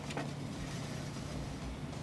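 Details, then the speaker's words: 800+ HP Jeep Wrangler electric cooling fan running: steady hum with faint rough scraping as blades catch raised weld beads on the radiator; fan needs spacing out. "yeah so we'll definitely if I move it over to the left some it's not as bad but it's still hitting just not the hitting so it has to go all the way towards the uh the spout over there"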